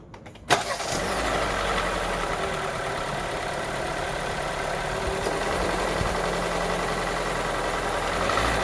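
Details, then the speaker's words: Kia Seltos at 18,000 miles, dealer-serviced oil changes, losing about a quart of oil in two days, knock began under 10k miles: cranks, catches, then idles with steady fast knocking under the hum; engine subject to recall, cause unconfirmed. "okay i'm fixing to start this thing up so you can hear the engine knock keep in mind 18 000 miles"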